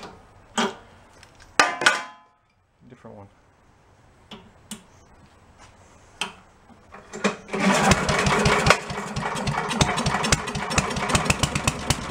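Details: Yard-sale walk-behind leaf blower after needle/shut-off flooding fixed, air cleaner refitted: few pull-start clatters then steady raspy two-stroke buzz, some smoke; normal running.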